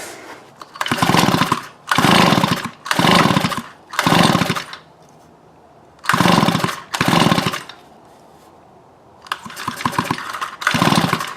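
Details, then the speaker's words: Neighbor's weedeater that wouldn't fire up, pull-cord spark test with plug grounded to case: repeated cord rasps about once a second, no firing and no spark; piston wet so fuel reaching it; kill switch was left on, sparks returned once off. "Alright, I'm not seeing any sparks, so I'm thinking that's probably our problem."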